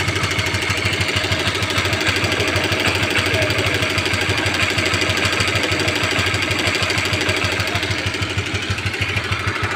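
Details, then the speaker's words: Honda CB150R at idle with a rough noise at the head; fast, fairly even rattle about three ticks a second from the top end. Mechanic suspects a stretched, loose timing chain or a failed tensioner, unconfirmed before teardown. "Bro itu sepertinya Kalau menurut saya seperti suara Rante Keteng atau rantai timing yang molor ya Bro alias kendor"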